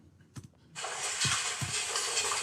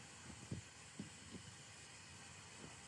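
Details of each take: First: Normal seam welding picked up by a sensor inside the welding machine: a few faint knocks, then a steady high hiss holding evenly as the weld proceeds. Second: CNC milling cut: quiet spindle with a few soft thumps, then a loud piercing screech as the cutter vibrates excessively; tool chatter that ruins the part, unlike normal cutting sound.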